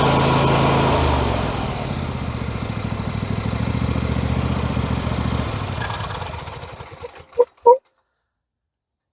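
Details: MTD Yard Machines 21hp 46-inch lawn tractor with a Briggs & Stratton V-twin, said to have a blown engine, test-run from as-is condition. It gives an even twin chug with no knocks and runs down smoothly at shutdown, so the internals sound fine. There is heavy exhaust oil smoke and oil residue on the valve cover; the owner suspects a valve cover leak.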